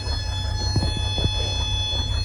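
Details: 1988 Sea Ray boat engine with a crank-no-start, running after starting fluid. A thin, steady high buzz rides over the low drone, source unclear; no micro switch found. Buzzing noise while running.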